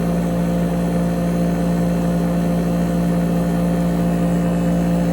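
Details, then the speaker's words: Front cover off: compressor now settled to a steady low hum with slight pulsing and no loud noises; evaporator coil colder at bottom than top, owner suspects it is a little low on charge. "I think that's pretty much settled down now. It's definitely not making any more loud noises, so it's definitely settled down."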